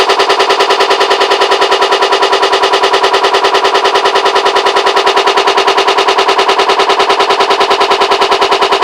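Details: Hotpoint WMAL641 front-loading washing machine running with loud, fast, very even rattling, about eight or nine knocks a second with a harsh metallic ring; cause unknown.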